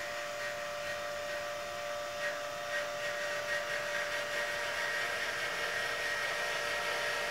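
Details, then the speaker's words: Celestron CGEM mount slewing after DIY hypertune, nearer vertical: steady high motor whine with gear chatter growing louder partway; owner suspects stiction or binding in the axes, unconfirmed; loud gear noise during slew. "there's a little bit more chatter coming out of the gears and I believe that's related to some sort of stiction going on in the axes"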